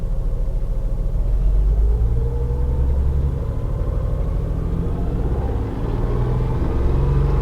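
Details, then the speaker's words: 2004 Honda Odyssey V6 with a multiple misfire, driven almost 70 miles with cylinder 4 skipping: the idle rumbles unevenly with a stumbling, loping beat typical of one cylinder dropping out. Engine misfire. "and the scary part is like I said it's almost 70 miles that this vehicle went with number four skipping like that"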